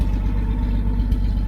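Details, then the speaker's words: 1972 Chevy Nova with new exhaust and Cherry Bomb muffler: deep steady idle rumble, even beat, no misses or rattles; engine and exhaust healthy. "So anyway, let me get that on there and we'll see what it sounds like. Okay, doesn't sound too bad."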